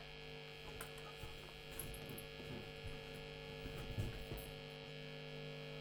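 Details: Late-1980s Hiwatt 100R Trinity 100 W tube guitar amp with no signal input: a constant, steady, unchanging low buzzing mains hum, one of its faults.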